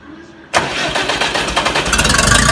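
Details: Oliver 550 tractor diesel, new injector just installed: starter spins the engine with quickening, even chugs but it never catches; hard-starting, won't fire.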